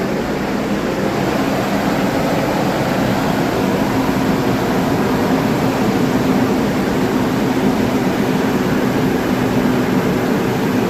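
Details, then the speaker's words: Nissan after fan clutch and belt replacement, fan previously ran all the time like a tank: steady even engine drone with no fan howl or rattle, fan now stops as it should; normal running. "See? That's how it should be. Now it stopped. Before it would run all the time."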